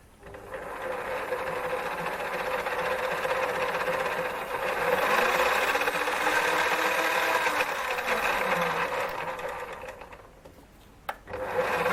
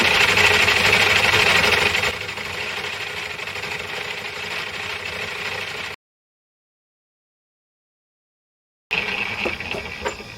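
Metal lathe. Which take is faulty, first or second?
second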